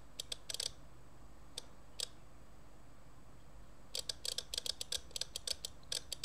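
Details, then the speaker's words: 1971 Soviet SB-1M/50 mechanical impulse counter stepped past 90 by 12 V impulses while the slower second needle barely moves. Crisp, dry clicks in quick bursts with short pauses in a quiet room; normal counter ticking. "every time a 12 volt impulse that needle turns one so it's counting how many impulses are there"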